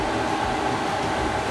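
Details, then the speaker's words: Newly installed diesel heater in a school bus, fuel pump audible as it fires up: steady fan rush with constant mid-pitched hum, no surging or rattles; running normally, though the air outlet was fitted backwards. "Oh, I think I can hear the pump. Oh, here it goes."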